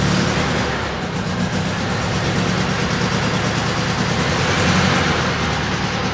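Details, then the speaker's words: 1967 VW Beetle barn find, off the road 46 years, on choke with untuned carburettor, now fed from the tank instead of a gas can: engine catches and settles into an uneven, rising and falling run. "I have no idea where the idle will rest now that it's not running off a gas can, but it's on choke."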